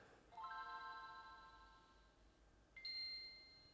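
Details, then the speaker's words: Game Boy sold for parts/not working, battery terminal corrosion, powered on with two AA batteries: clean two-note boot chime, second ding higher; starts normally and reads game. "Yeah, absolutely no problem."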